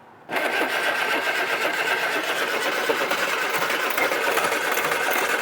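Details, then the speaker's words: Barn-find Mk1 Austin Mini, out of gear, choke on, a little throttle, with spark and turning freely: steady, fast starter whirr for several seconds; cranks but won't start. "yeah then it throtle yeah well that tried yeah that's a good start did that splutter when you had any throttle at all"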